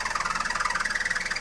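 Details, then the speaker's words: 2011 Mazda2 at low idle in gear: rapid chirping squeal pulsing about 19 times a second, like a belt squeal, with vibration, actually from a collapsed hydraulic engine mount rubbing. "Kind of weird noise, wasn't it? It sounded like even perhaps a belt squeal, but in actual fact, it turned out to be an engine mount that caused both the noise as well as the vibration."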